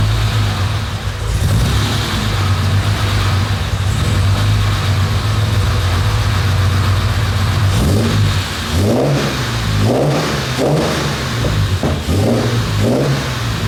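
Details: Jaguar E-Type Roadster 4.2, owner-restored: deep, even six-cylinder burble at idle, then several clean throttle blips rising and falling smoothly; normal, healthy idle and rev.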